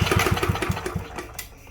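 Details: Free Yard Machines push mower, model 11A-02MG029, that previous owner couldn't start: quick chuffing compression pulses, about seven or eight a second, fade with no firing; cranks but won't catch, spark present, owner suspects wrong spark plug.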